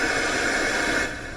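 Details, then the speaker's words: Panasonic RF-2200 radio after repairing a broken wire or trace near battery corrosion, no antenna connected: loud, even hiss bursts out at power-on and then settles slightly lower; normal FM static with no station, radio works. "of course there's no antenna or anything and I'm not going to get anything down here but it works"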